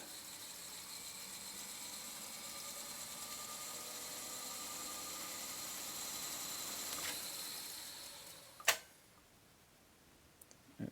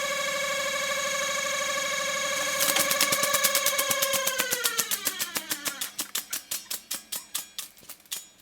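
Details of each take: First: very good yeah it's working fine the brakes are holding little felt brakes are holding perfectly now Second: Technics RS1500 reel-to-reel tape deck during service: noisy rewind, a steady whine with quick regular ticking slowing as reels wind down and a squeak; owner suspects the brake band, something rubbing, or a dry bearing, unconfirmed.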